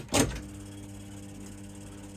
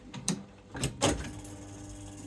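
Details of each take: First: Accumulator slot machine after solenoid replacement: clunk at start, smooth quiet reel motor hum with no rattle, clunk at stop; the earlier horrible vibration sound is gone. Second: Accumulator slot machine after solenoid replacement: scattered sharp mechanical clicks; the lockout bar gives only a weak, gentle tap instead of a strong click.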